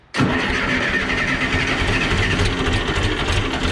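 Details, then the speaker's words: John Deere 480B diesel cranking for up to 15 seconds during a fuel system bleed after running dry: the engine begins to catch and pick up rhythm while air is still bled. Cylinder four is under suspicion. "right see she's trying to run so we're going to turn it off and uh it was it was really starting to go there"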